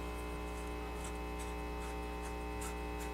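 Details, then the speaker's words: 1936 Philco 116X radio at its first power-up in decades after restoration, run through an isolation transformer with no adjustments made yet. A steady low electrical hum and faint buzz persist; mains hum is suspected to still be getting through. "that still sounds pretty bad something's wrong there"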